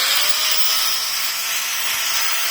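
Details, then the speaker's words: Edon AG125/900 angle grinder, returned for overheating and strange noise, run free at no load in service diagnosis: steady high whine and airy hiss, no rattles, knocks or grinding; no abnormal noise, equipment working normally. "Никаких посторонних звуков нету, обычная работа."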